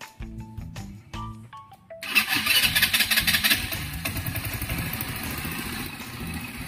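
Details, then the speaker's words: Rusi 125 scooter after overhaul with new steel-bore cylinder block, fixed head leak, exhaust retightened; one-click start, catches on first crank after brief starter whir, settles into steady, even, now quiet idle with no knocks; normal start and idle. "Tahimik na siya."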